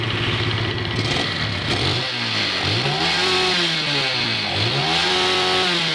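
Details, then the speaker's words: Yamaha Vega R New that stalled on long rides, after carburetor passage cleaned and Jupiter Z CDI fitted: stable idle then quick blips rising sharply and dropping cleanly, revs freely — normal revving. "oke ya rpm nya juga cepat naik ya No Limit cepet teriaknya ya pakai CDI Jupiter Jupiter Z"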